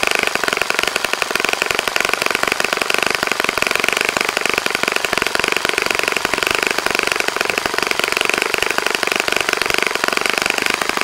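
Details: Saito FA-65 model four-stroke, first run after rebuild, APC 12x6 prop, Morgan's Omega 10% fuel, Fox Miracle plug, primed heavily to start: high buzzy even drone at high revs, no sputter or surging; normal healthy running.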